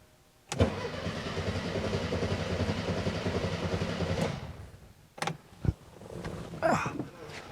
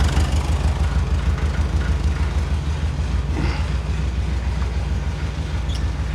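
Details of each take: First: 1978 VW Super Beetle with original fuel injection: about four seconds of even starter churning without catching despite spark; the owner wondered if it flooded. Cranks but won't start. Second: 1978 fuel-injected VW Super Beetle, air-cooled, after a simple fix for a no-start, airbox still off: steady, even low chugging with no misses or knocks; the engine is running normally again.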